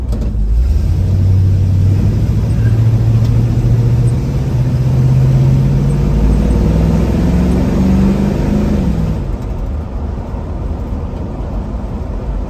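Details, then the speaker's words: 350 small-block Chevy with hydraulic flat-tappet cam, after valve adjustment, Magnaflow Super Turbo mufflers, Edelbrock 17301 fuel pump, driving, camera facing front: deep V8 rumble climbing smoothly through gears, easing after shifts; crisp, clean exhaust note, healthy. "I'm really digging the turbo mufflers sound good. And where I really like them, not only at idle, but uh at a cruise, they got a real crisp sound."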